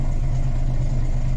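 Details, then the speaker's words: Volvo B10M diesel idling after Bendix AD-2 air dryer rebuild; loud steady low idle with even beat, no air leaking from governor, tinkling gone; waiting for it to unload. "But it's no longer pissing air out the governor, so... and the tinkling noise has gone. The air dryer doesn't appear to be leaking."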